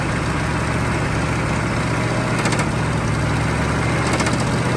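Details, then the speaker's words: Chevy CUCV 6.2 diesel after the glow plugs were reinstalled: it fires and runs rough and loud with a dull, irregular knocking under the clatter just before it throws a rod through the oil pan. "mean it never really made that much noise but it threw a rod out of the pan"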